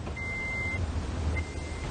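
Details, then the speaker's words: Toyota ignition lock with faulty key-in reminder buzzer switch: inserting a transponder key gives no buzz unless pushed in, then two short high buzzes over a low idle hum; without the buzz the immobilizer light stays on and keys won't program. "If you see, if I stick it in, you don't hear the buzz. And if the buzz doesn't happen, the immobilizer light won't go off."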